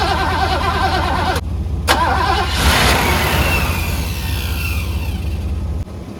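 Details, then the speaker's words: 1985 Mercedes W126 SEC, restoration Part 1, left unworked about 2 years: starter churns at an even rapid rhythm for several seconds, never catches, even with ports 7 and 8 bypassed; owner guesses fuel pump and will order one, unconfirmed. "All right, so I guess it's the fuel pump problem. So what I'm gonna do is just order a new fuel pump, see if I can start it."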